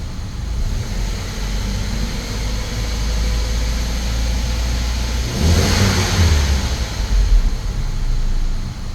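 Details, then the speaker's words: 2005–2006 Saab 9-3 Turbo petrol engine idling then briefly revved, with a lumpy, stumbling beat; a slight misfire felt from the seat, not shown in live data; plugs pulled, misfire from worn spark plugs. "I mean, sitting in it, I can feel it has a miss. Let's have a look at the knocks and yeah, I can definitely feel a miss."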